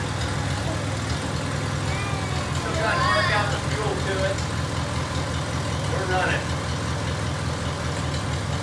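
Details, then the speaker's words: 1949 Farmall Cub, original engine and magneto, after cleaning carbon and oil from the head and refilling the radiator; steady, even low chug with no knocks or misses, smoke cleared, running smoothly. "[Music] all right y'all we got it run it now pretty good ramp about 15 cleared out"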